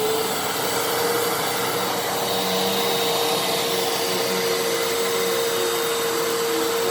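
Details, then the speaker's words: Fantom Fury 12 amp vacuum, made October 2000, after clearing a clog: steady, even motor whine with constant airflow rush, no surging, rattling or pitch drop; brushroll and motor now run perfectly. "how good the brushroll is how good the motor sound how good the thing works once it was unplugged I'm not complaining so yeah very very happy to have it it runs perfectly now"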